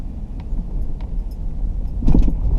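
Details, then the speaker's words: 2004 Jeep Grand Cherokee driven at 25–35 mph over small bumps: low road rumble broken by sharp clunks and rattles from the front; worn driver's-side upper front shock bushings suspected, later replaced. "Back working on the 04 Jeep Grand Cherokee here. It has a rattle at low speeds and medium speeds, going over bumps and things like that."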